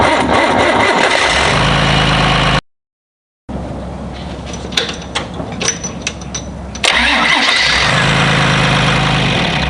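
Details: John Deere 2955 tractor diesel after installing gear reduction high-torque starter to overcome slow cranking from a loaded hydraulic pump; steering wheel not turned: brisk, even cranking about four turns a second, clean catch; normal cranking and start.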